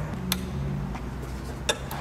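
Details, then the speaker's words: Headlight relay switched on and off: two sharp single clicks about 1.5 seconds apart over quiet background, relay snapping in cleanly; normal click, though a click alone doesn't prove the relay closes the circuit. "now a really popular thing to do to check relays is just to activate the switch and listen for it to click"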